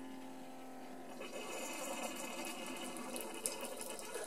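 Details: Keurig K40 coffee maker after a not-heating repair, brewing a Seattle's Best K-cup: a soft, steady buzzing hum with trickling water builds in and runs evenly as the brew pump works normally.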